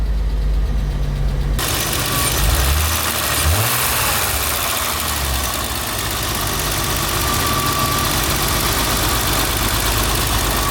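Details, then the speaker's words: BMW E30 petrol engine after cleaning the idle control valve and throttle body: steady warm idle about 800–900 rpm with a faint remaining shudder, previously hunting between 500 and 1,000 rpm; some hiss. "Oh, my RPM started working now, and it's idling at about 800, 900. Still kind of shuddering a little bit, but before, guys, it was literally going from like 500 to like 1,000, and it looks like everything's fine now."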